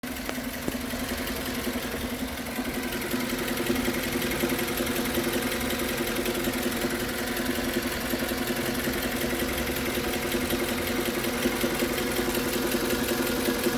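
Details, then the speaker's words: Suzuki Grand Vitara 2.4 (J24B) at warm idle: fast, fairly even tapping of about three beats a second from low in the engine. It appears only after a long warm-up (about 20 km on highway or half an hour in town), seemingly when the oil thins. Cause unknown. "так снимаю стук Похоже что в двигателя значит условия какие но какие условия чтобы он появился проявился то есть проявляется только после длительного прогрева"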